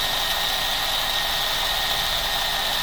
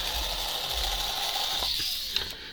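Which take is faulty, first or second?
first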